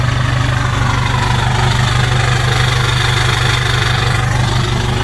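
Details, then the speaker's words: Ford Super Duty with 6.0 Power Stroke diesel, first start on starting fluid: loud, clattery diesel idle with an uneven pulse of about two beats per second, heavy smoke, check engine, ABS and brake lights on. Rough running, cause unknown. "Does not sound the best, but she runs. Jesus Christ, that's noisier than a 7.3."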